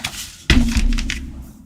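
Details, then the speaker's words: Apple HomePod at power-up during repair: a thump, then a low droning buzz that slowly fades. The power filters are suspected to be on their way out. "all right sounds like those filters might be on their way out for sure"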